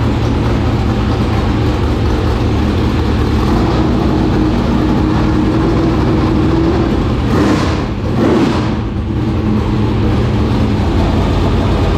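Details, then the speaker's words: 465 cubic-inch V8 race engine, first start in three years after getting better fuel pressure: a deep, strong, steady roar with a brief throttle blip around eight seconds, pulling cleanly; normal running. "now it runs that thing right there you can tell how you would do it when you wrap on it and it and it's settled down time it just sounds like whoa like it big it took all the air out of the room"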